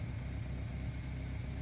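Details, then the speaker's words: Car exhaust at idle after a rusted, holed muffler was patched with washing-machine sheet metal and the muffler was hung with wire. Deep, even idle rumble with no puffing, ticking or hissing; exhaust sealed and normal. "Pelo vídeo parece que tá dando barulho, mas pessoalmente não tá dando barulho nenhum."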